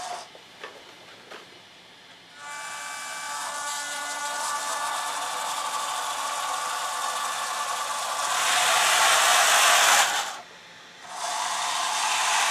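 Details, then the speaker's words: IMEX Panzer III metal hulls, brass dual-ratio vs lapped steel gearboxes at very slow creep: a soft, steady, high whir with no grinding or clicking. Both quiet and healthy; steel, once louder, was lapped with lapping compound. "I think both of them are pretty quiet. I don't think there's a whole lot of difference."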